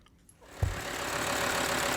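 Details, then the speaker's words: 2005 VW Touareg 2.5 TDI with rattling AC compressor coupling, compressor removed as a hack fix: diesel cranks, catches and settles into a steady even idle, no rattle or knock; works perfect minus compressor. "It works perfect minus compressor. So you can run about with this until he decides what he wants to do."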